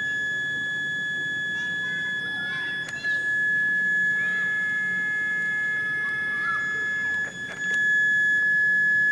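A thin, steady high whine holds at one pitch under held throttle; the overloaded brushed motor is straining just before the ESC cuts in.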